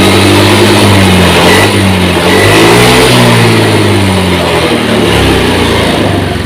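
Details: Injection scooter after TPS voltage adjusted from 0.5 to 0.410 V for a hesitation complaint, revved from about 1500 rpm idle, reads mode 1: picks up cleanly, pitch climbing and settling without stumble or hesitation; normal revving.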